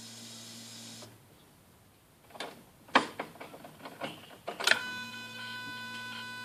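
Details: Skoda Octavia 1.6 55 kW, ignition on, engine not started: replacement used throttle body (030 133 064 F, replacing dead 064 D), not adapted via OBD, self-test: quick run of whirring clicks as flap sweeps, then settles; actuator working.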